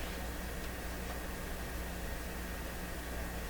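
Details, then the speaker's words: Westinghouse 981X shortwave receiver during alignment, with the BC antenna/RF trimmer being adjusted around 1500 and 9500; this band picks up only a flat, steady hiss with no station, carrier or whistle, so it appears dead. "Wow. I don't remember one of these bands not working."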